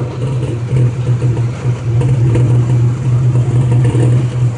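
Steady low engine drone with an uneven rapping about three times a second riding over it; a knock of unknown origin.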